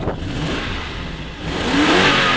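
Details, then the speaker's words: Lexus LS400 V8 donor car revved in park: idle, then a quick blip rising smoothly and cleanly, even and strong with no knocks or misses; normal revving. "That sounds like a V8 to me. That sounds lovely."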